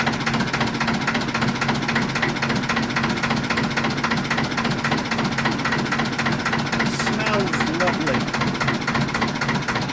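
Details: 1950s Ailsa Craig RL2 twin-cylinder raw-water-cooled narrowboat diesel, just started: slow, steady chuffing at about 220 beats a minute with even rhythm; normal clean idle.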